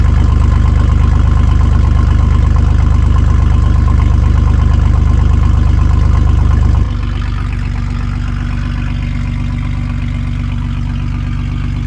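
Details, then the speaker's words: Chevy S10 mini truck with the exhaust intentionally cut after the catalytic converter, section missing before the muffler, awaiting welding: loud, deep, raw drone dropping to a steady rumbling idle after about seven seconds; cabin noisy too. "Um, another thing to note is that before it used to have a lot of noise in the cabin as well when it had the exhaust leak. It still does, but um this is an intentional exhaust leak because obviously I cut it."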